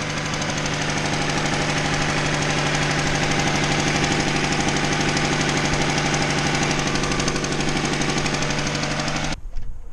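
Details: Honda Civic D16Y7 idling on all four cylinders: sharp, fast ticking over steady idle, puffing with each firing. Exhaust leak at one of the cylinders, suspected cracked cast exhaust manifold (built-in catalytic converter).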